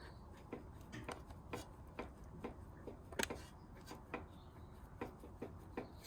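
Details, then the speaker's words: 2000 Volvo V40 automatic, front anti-roll bar link with play rocked by hand with the wheel off and wheel turned: small sharp clicks about two a second; the car knocks over small bumps, so the links are replaced. "maybe you can hear the little bit of knocking. Because I got the wheel turned,"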